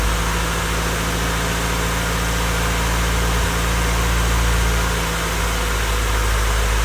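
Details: Honda Civic freshly rebuilt D16Y8 engine, first start-up, idling before any revs: steady, even idle with no knock or misfire; bottom end sounds healthy and smooth. Normal idle.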